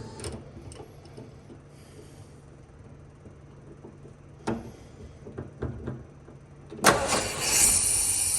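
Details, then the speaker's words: 1970 Ford Bronco, manual, sat for years, finally running after stumbling starts: low uneven idle with scattered knocks and stumbles, sudden loud surge near the end; idles but not well, cause unconfirmed. "It's idling. Not great, but it's idling."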